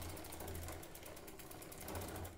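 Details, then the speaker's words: Giant Defy bicycle with a short-cage derailleur and 11/32 cassette, chain shortened by removing a master link, pedalled backwards; rapid light ticking about ten clicks a second from the drivetrain. "okay so now it will pedal backwards even though it's still a slight you can hear it ticking there"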